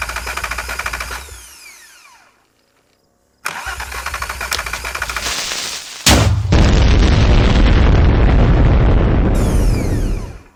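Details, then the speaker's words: Parted-out car with a battery fitted but no coil packs or intake manifold: even starter cranking at about 3.5 turns per second, twice, turning freely but never firing. It cranks but won't start; fuel smell confirms the fuel pump works. "So it turns over. It smells like gas, so that's good. The fuel pump works."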